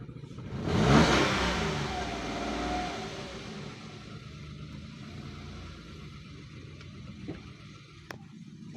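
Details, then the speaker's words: 2022 Toyota Wigo, idling very low and sometimes stalling when the pedal is released after a new battery was fitted: a sharp rev dies away and the idle sinks low and lumpy, near stalling. "Sobrang baba talaga minsan namamatay."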